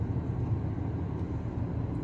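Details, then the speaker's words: CVT car coasting down a steep hill with feet off the brake: a steady low hum and light whistle, the normal drone of the CVT holding revs under engine braking. "but I'm hearing like a light a light Whistling noise and and the humming as I'm going in there and that was a very steep hill"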